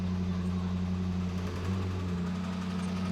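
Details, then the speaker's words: Range Rover SVR V8 idling with a deep, steady drone and an uneven knock from worn crankshaft/connecting-rod bearings; a knock this loud requires a full engine rebuild. "n the crankshafts basically causes engine failure and one this noisy definitely requires a full engine rebuild."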